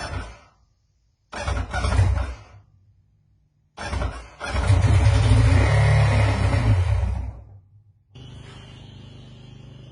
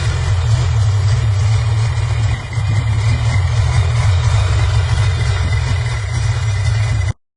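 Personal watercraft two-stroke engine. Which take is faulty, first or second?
first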